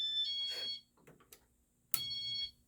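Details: Casablanca San Marino Inteli-Touch 52-inch ceiling fan on a W-11 wall control, set to speed two: two bursts of shrill steady beeps about a second and a half apart as the fan cuts out; the cause is unknown.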